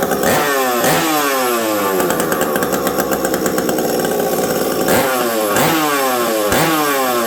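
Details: Stock Husqvarna 372XP chainsaw fitted with a UFO pipe, run in very cold weather: revs up and drops back repeatedly with a brief hesitation coming off idle before climbing; off-idle stumble from low-speed jet set too lean, not the pipe.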